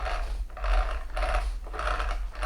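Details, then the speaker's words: Losi XXX-SCT RC car drivetrain, run on 3-cell, with rough gritty grinding in bursts about every 0.6 seconds as it turns; owner believes a damaged spur gear, hopes not the nylon idler; gear grinding, cause unconfirmed. "you would have seen that there was some sort of grinding noise. I believe it's a spur gear. It doesn't sound good."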